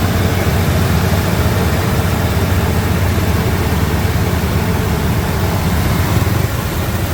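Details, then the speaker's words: 2003 Ford Expedition 5.4L Triton V8, started after heater valve replacement and coolant flush/refill: deep, steady low rumble with an even beat and no knocks or misses; idling smoothly and healthy. "That sounds real healthy."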